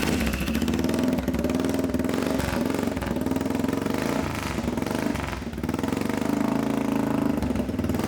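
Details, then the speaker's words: Abandoned ATV revived as donor for a mini Jeep, running after clutch cover cleaned out: deep, even single-cylinder thump with a Harley-like beat, no knocks or misses; idles and revs cleanly, normal running. "that's awesome yeah that sounds like a Harley it does sound like a Harley"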